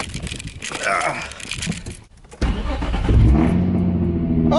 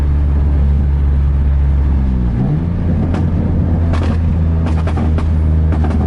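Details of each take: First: Nissan 350Z after replacing the failed header exhaust gasket that caused a major exhaust leak: the engine fires and holds a smooth, even idle with no ticking or puffing, exhaust normal again. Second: Nissan 350Z driving with a major exhaust leak, sounding like open headers: deep, raw, unmuffled roar rising and falling with throttle.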